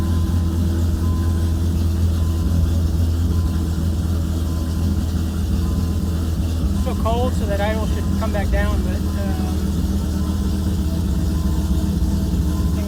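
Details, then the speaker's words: 1997 Dodge Viper GTS V10 started after a fuel pressure regulator rebuild for fuel leak-back: steady, smooth idle with a low rumble at slightly raised cold speed, no misses or knocks; runs normally. "i'm just gonna turn the key if you'll pump a run i'm gonna start it right up success"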